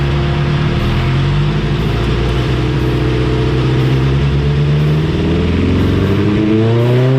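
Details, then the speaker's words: 1987 Suzuki GSX-R 1100 on dyno after carburetor cleaning and tuning, full-throttle run; clean, steady note rising evenly through the revs without stumbles, smoother than the previous choppy run; smooth full-throttle pull, air-fuel good. "did you hear how the last run was smooth it was good yeah good"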